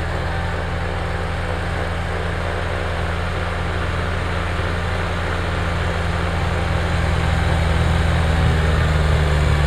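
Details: Kubota BX diesel tractor after fixing cold-weather fuel starvation (suspected gelled fuel): steady, even diesel drone holding its beat with no misses or stumbles as it pulls; running healthy.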